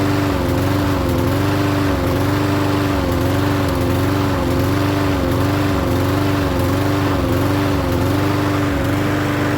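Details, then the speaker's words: Troy-Bilt self-propelled mower with Briggs engine, restarted after sitting ~20 minutes, starts first pull; tilted back to check self-propel wheels, it half-stalls, pitch dipping and recovering about every 1.5 seconds, runs great set down. "as you saw every time i tilted it back it was half stalling it wasn't running good you put it back down it runs great"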